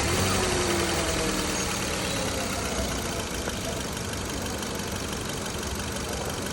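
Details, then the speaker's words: 2015 Kia Cerato petrol engine after replacing a faulty fuel injector that caused shaking and misfire: steady, even idle with no stumbling or shaking; misfire gone. "مو شايفين البنجا صار تمام وهنا السياره صارت ما بقى فيها رزه"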